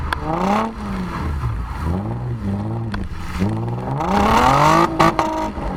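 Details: Nissan 350Z VQ35DE V6 with DIY cat-delete exhaust, GoPro recording while driving: deep raspy note climbs and falls smoothly with throttle through the gears, no knocks or rattles; healthy, loud.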